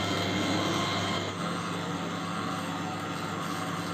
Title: LG Microwave Oven Making Loud Noise | Microwave Oven Turntable Motor Sound